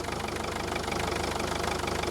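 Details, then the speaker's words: Mercedes Vito 638 2.2 CDI manual, cold unwarmed diesel idle: fast, uneven thumping, whole engine and mount shaking violently despite owner's new engine mounts; failing dual-mass flywheel/damper suspected, rough idle vibration. "То есть ходуном ходит весь двигатель. Видно? Видно, как подушка."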